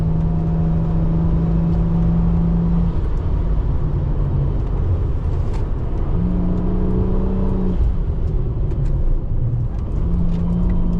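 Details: Ford FG Falcon XR6 Turbo after turbo-side intake install and battery relocation, airbox muffler and over-engine piping removed: deep steady drone rising and falling with throttle, loud intake rush; normal revving.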